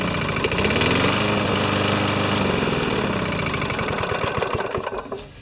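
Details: Older Yard Machines mower with a Tecumseh engine, found with no maintenance and no oil, after a full carb clean and repair: it runs steady and even at a brisk pace, then cuts off cleanly and winds down. It sounds healthy.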